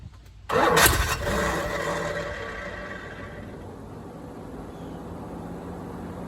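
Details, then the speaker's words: 1987 Corvette C4 with TPI replaced by a carburetor, first crank after swap: starter kicks in with a burst, then engine turns over slowly and unevenly, dragging and fading; owner suspects dying starter, also wonders about timing. "Sounds like my starter's dying. A lot."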